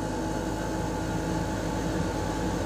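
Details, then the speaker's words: Lennox Pulse21 furnace (installed 1993) after repaired control board: blower motor fan running with even steady rushing airflow and low hum, no rattles, squeals or scraping; normal, everything working. "now the the blower motor fan is working so that looks like it's a go it looks like everything is good"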